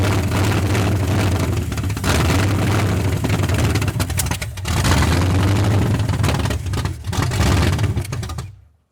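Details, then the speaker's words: 1981 Mustang 302 5.0 V8 with automatic, first start after nearly 30 years parked, 14-year-old oil, no radiator fitted: deep, even burble with steady firing, no knocks or ticks, almost 50 psi oil pressure; sounds tight like a fairly new, low-mileage engine. "She's tight. It sounds like a fairly new engine."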